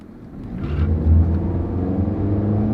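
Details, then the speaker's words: Nissan CVT car with 138,000 miles accelerating: engine drone climbs as it pulls away, then holds one steady high pitch with no shift steps; not brisk, but normal CVT behavior. "not really brisk acceleration and of course it's a cvt so it doesn't shift gears that's why it went up high and stayed"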